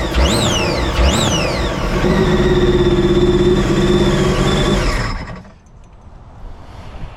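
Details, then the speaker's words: 2017 supercharged Sea-Doo RXT-X 260 jet ski restarted inside the shop with water in the intercooler: two blips, then an uneven, stumbling idle before it cuts out; a misfire caused by the water in the intercooler. "he drove it back and he had had a little misfire well there we go body in a cooler would give you that symptom like a misfire now you know"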